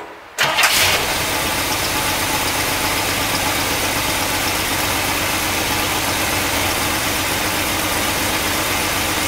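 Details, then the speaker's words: 1964 Cadillac V8 after replacing worn points: cranks briefly, catches at once and settles into a steady even idle, no stumbling; running well, maybe an exhaust leak or two. "i don't know actually sounds really good maybe an exhaust leak or two"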